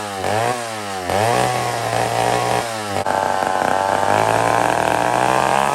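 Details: Old McCulloch 1-71 chainsaw cutting wood after a major carb upgrade: carb rebuilt, gas line leak zip-tied, intake double-gasketed. Steady high-rev scream, brief bog entering the cut, then pulls clean without stumbling. Normal running under cutting load.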